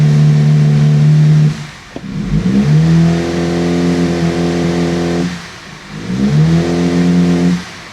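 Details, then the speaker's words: Audi A5, turbocharged, 6-speed manual, after clearing codes; at full throttle the revs climb slowly, then sag and nearly die, twice, with almost no exhaust flow; exhaust clogged, likely catalytic converter, causing turbo underboost. "There's almost no exhaust coming out of this at all. The exhaust is clogged."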